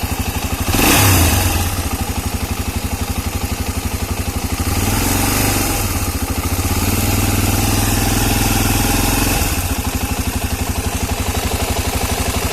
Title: Стук двигателя.